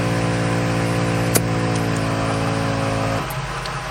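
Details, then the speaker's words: ARB onboard 12V compressor in a Ford Transit van, engine running: steady buzzing motor hum with even pulse over idle, no stumbles or rattles, inflating a tire from 25 psi to 49 in about 1 minute 15 seconds; normal operation. "so i reinflated the tire from 25 psi to 49 in about one minute and 15 seconds"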